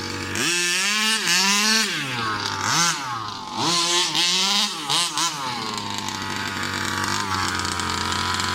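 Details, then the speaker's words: New Rovan 36cc double-ring two-stroke in a King Motor Baja 5B, warm, head gasket removed: sharp high-pitched note rising quickly through several hard bursts, revs climbing cleanly under load with strong power. "How is that? That is the power that I was looking for from a 36cc, man."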